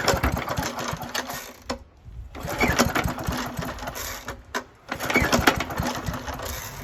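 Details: 1972 Hayterette mower, very worn with hundreds of hours, cold start on fresh fuel after 6-7 months unused: engine catches, runs briefly, dies twice with silent gaps, then fires again; hard starting needing repeated pulls.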